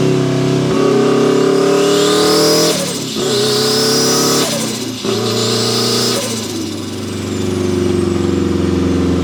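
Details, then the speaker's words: Turbo Mazda Miata, built 1.6L with a new head gasket, new clutch and flywheel, and a custom unequal-length turbo manifold giving a Subaru-like sound, about 14–15 psi boost. Strong pulls with pitch climbing through each gear, dips at the shifts, and a clean turbo whoosh with no flutter: a healthy engine under acceleration. "Well, there we have it. The world's weirdest sounding Turbo Miata. Coolest sounding Turbo Miata."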